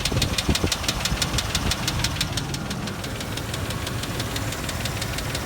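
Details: 2001 Range Rover P38 V8 at idle, head gasket just replaced but ticking before too: light, even ticking about three per second over steady idle; mechanic says low oil pump pressure, not confirmed.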